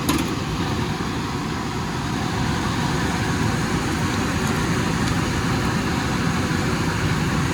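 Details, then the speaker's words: Air conditioning outdoor unit after replacing a failed control board: steady fan whoosh and even compressor hum with refrigerant bubbling through, no rattles or short cycling. Running normally. "all right i think i hear the refrigerant over there bubbling through there is no question that board was a goner"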